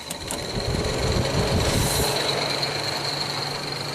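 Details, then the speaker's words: 1995 Jaguar Vanden Plas straight-six, warm engine, radiator fan switch plugged back in: even rushing air and faint motor hum, cooling fans on low speed, shutting off about a minute later; system works normally. "So I believe that's low speed right now."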